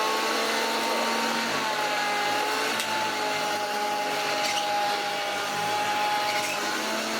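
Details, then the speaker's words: Hoover Junior 1334 vacuum, first run after storage: loud steady motor roar with a wavering high whine and gritty rattle underneath; one motor bearing completely gone, with play. "Oh yes, you can tell that one of the bearings is completely gone"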